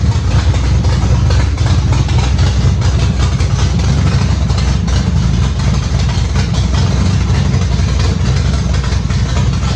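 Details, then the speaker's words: Factory stock dirt-track race car engine, repaired instead of rebuilt, with the transmission still out: deep, steady idle with an even low rumble and no knocks or hunting. The engine runs smooth as silk. "Even though we got the engine running and it is smooth as silk, after talking with Mr. Steve and a few of my friends"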